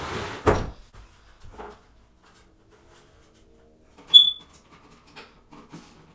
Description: I hear a chirping waking me up. It’s telling me that it’s Time to change the battery. 9v